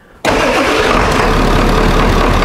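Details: 1996 Ford F-350 7.3 L turbo diesel, cold start after sitting overnight, after deleting the belt-driven vacuum pump and fitting a shorter belt: glow plugs cycled, it cranks briefly and catches at once into a steady, even clatter. Healthy start.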